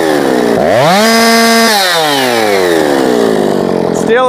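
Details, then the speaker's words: Jonsered 2156 C (EPA) chainsaw tuned to about 13,600 rpm: revs climb quickly to a high scream, hold flat without gaining more, then fall away; owner suspects a rev-limited coil. RPM limited at wide open throttle. "like 136 I think maybe this has a limited coil on it didn't gain anything in RPM that time"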